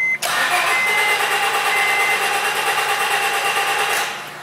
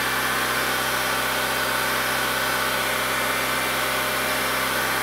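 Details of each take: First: 2004 Honda Civic 1.7 with about 200,000 miles, stalled in a drive-thru and jump start failed: starter spins the engine evenly at about three turns a second but it never catches; crank, no start. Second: 2004 Honda Civic 1.7, roughly 200,000 miles, running again after a crank/no-start repair and warming up: steady, even, smooth idle with no misfire, knock or hunting. Fuel trim is about 10%; normal idle.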